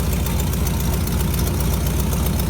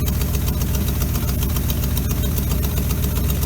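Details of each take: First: 1957 GMC 370 2-ton truck, original Pontiac 347 V8, revived after 20 years sitting, idling on its own on its own tank: rough, low idle with a sharp puffing tick on each firing pulse from the blown exhaust donut; exhaust leak. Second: 1957 GMC 370 fire truck, original Pontiac 347, revived after sitting 20 years seized. Warming up to free stuck rings, carb needs a rebuild, steaming. Loud, low, even idle pulsing about four beats a second, holding idle on its own. Steady idle.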